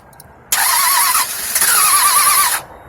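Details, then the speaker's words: 1998 Toyota Avalon (1st gen) after radiator, water pump and timing belt replacement: two short whirring cranking bursts with no firing. Crank no start from cam timing being off; the left cam had to be rotated to line up at top dead center. "so um i don't know if the sound picked up the sound but obviously they're turning they're just not turning over"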